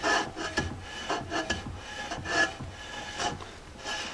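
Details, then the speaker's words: 1999 Jeep Cherokee XJ rear drum brakes being adjusted: a soft scraping rasp about once a second as the drum is turned by hand shows light shoe drag; the adjuster could go a bit tighter, but too tight overheats the brakes. "got a little but it can go a little bit more and that might be a good starting place to start off with if you have it too tight you're going to overheat your brakes right away"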